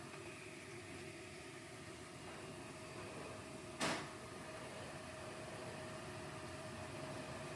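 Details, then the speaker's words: Two small computer cooling fans in an enclosed battery box for a Renogy lithium battery on a 2014 Swift motorhome: quiet even whir around 600 Hz with one brief rustle; both fans running smoothly, normal operation. "Right, so here's the cooling fans. As you can hear, they're fairly quiet."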